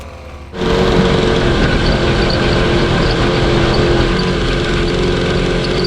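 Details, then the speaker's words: Rebuilt 750cc DOHC engine from a 1982 Honda CB750 in a cross kart, electronic ignition; runs loud and ragged with an uneven stumbling beat; misfire, owners suspect a failing ignition pickup. "yeah we've been having this problem um maybe we can try swapping over the ignition from the old engine inputs the uh uh pickups okay because we might have one going bad"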